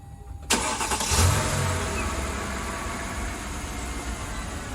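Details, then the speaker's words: 2007 Mercedes E550 (W211) just after an Arnott Airmatic air strut install: the engine catches quickly and idles evenly while the air suspension compressor hisses and hums steadily. Normal. "Okay, so I'm just going to start the car and watch it rise up."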